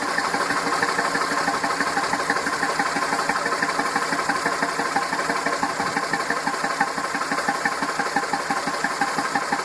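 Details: Massey Ferguson 2645 tractor, Perkins 6-cylinder diesel, owner claims rebuilt 100 hours ago: idle knocking beat near three a second with pulses varying in strength, likely one weak cylinder; suspected exhaust valve not closing properly, low compression, lack of power, little PCV blowby.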